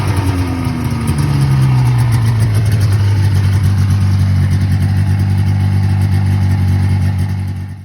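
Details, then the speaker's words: 1980 Yamaha Exciter SS440 snowmobile two-stroke, sat about 20 years, after carburetor cleaning: steady burble settling to an even smooth idle, no misses or knocks; runs well, throttle still slightly sticky. "in that last part guys you saw this thing just sitting there idling doing its thing um and yeah this thing ran pretty good"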